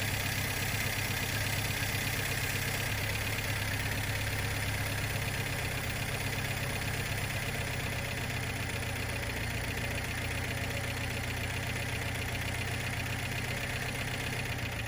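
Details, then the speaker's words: 1972 Plymouth Cricket small petrol engine, newly fitted carb, fuel source and ignition, idling unevenly with clearly audible loose valve tick; owner suspects one or two valves are tight, possibly partly behind the backfiring and imbalance. "Now the valves sound loose. You can hear them pretty good. But I'm thinking that there's probably one or two of them in there that are a little tight."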